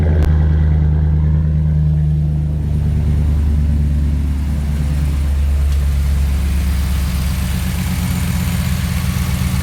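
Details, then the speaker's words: 2016 Ram 1500 5.7 V8 after spark plug replacement and oil change: deep, steady idle with even low beat and no misses or ticks; engine running smooth. "Seems to be running smooth here."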